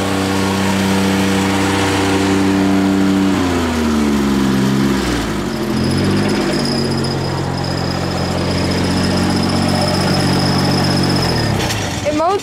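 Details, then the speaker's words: Rebuilt Grasshopper 721 mower, straight three-cylinder Kubota gasoline engine, started on choke after carburetor cleaning, new fuel pump, plugs, oil and air filter: steady three-cylinder hum, revs shift briefly then settle smooth and stable, no misses; healthy. "I'll fire it up for you real quick give it choke there it was fired there there it is running a three cylinder Koda 21"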